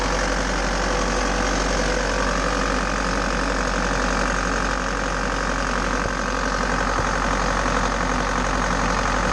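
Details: Bobcat T590 diesel after water pump replacement (old pump bearing failed, seal leaked coolant), coolant topped up, cold, warming toward thermostat opening: even idle clatter about four beats a second, no knock; healthy.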